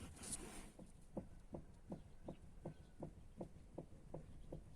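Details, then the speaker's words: Lifan X70 rear suspension: dull evenly spaced knocks about eighty a minute, clearly audible in the cabin; trim and bushings checked with no play, knock traced to a rear shock absorber. "сейчас послушаем вот такой нехитрый стук"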